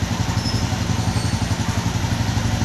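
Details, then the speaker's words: Honda Beat ESP fuel-injected scooter that stutters, no error codes stored: steady fast idle around 1453 rpm, far above the normal 700-800; traced to a faulty engine oil temperature (EOT) sensor. "ini di putaran stasioner itu diangkat 1453 sekitar itu kisah nanti itu memang ya udah-udah usut emang segitu ya bisa di 1500-1600 1700 Santi kalau subuh 700-800 Selatan itu terlalu terlalu besar untuk RPM ya"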